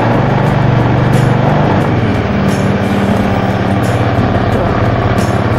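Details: 2011 Honda Scoopy scooter with an original, never-opened engine, electric started: small single-cylinder engine idles with a steady, even low putter, partly buried under music. Sounds healthy.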